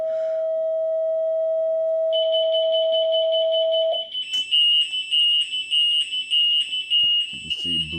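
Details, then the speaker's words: Alarm test: a steady test tone from a nearby speaker plays, then high-pitched alarm chirps pulse about twice a second as the alarm is falsely triggered by the frequency. A third-party alarm closer to the speaker did not go off. "There's the false alarm that's given off by uh anything that gives off."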